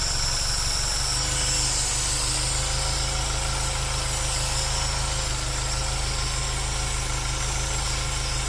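Steady idle with an uneven, lumpy pulse underneath, roughly three beats a second that don't quite stay even; the engine is idling rough.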